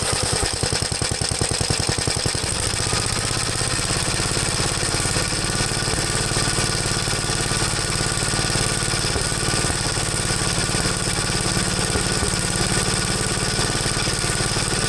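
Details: 1973 Gravely C8 single-cylinder engine after top-end rebuild, on the Wico magneto: uneven idle beat with occasional exhaust pops, a misfire; ignition wire ruled out, owner suspects magneto condenser, not confirmed.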